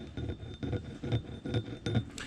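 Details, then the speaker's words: Subaru BRZ engine torn down after a bearing failure: slow rough scraping pulses about twice a second as the removed camshaft is turned by hand. Bearing material circulated through the oil and scored the cam journals, so all cams need replacing. "First noticed when I pulled the cams off, if you hear that, that is no bueno. That means that material went through the oil and went through, should sound like this."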